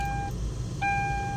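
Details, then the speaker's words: Hyundai Tucson at ignition on after replacing the faulty blend-door (heat/cold) air-conditioning actuator: two mid-pitched warning chimes over a low cabin hum, with the former knocking under the dashboard now gone. "ignition on yan makikita niyo naka-ignition on yan pero wala ng tumutunog na knocking sound dito sa ano"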